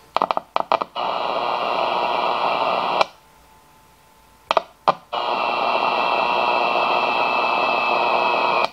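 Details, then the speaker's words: Mid-1960s Zenith B258W four-transistor clock radio: click as the meter probe touches the converter transistor collector (base 1.3 V, emitter 0.7 V), then hiss and station noise while it stays on; dead otherwise; converter stage fault suspected. "I'm just going to hear The Collector um so when I put the voltage meter on here on the collector it starts to work"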